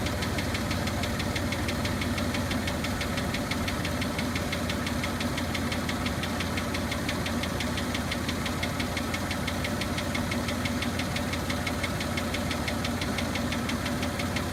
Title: Tacoma - engine knock